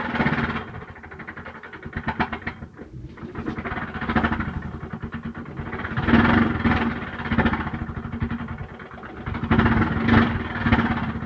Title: Lg washer noisy on start up